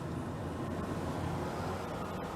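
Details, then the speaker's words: Off-grid RV camper furnace, previously unreliable, now working again, possibly after owner moved a part back and forth: steady, even whooshing hum with no rattle, scrape or squeal; blower running normally, giving heat. "yeah i have no idea but the furnace has been working again"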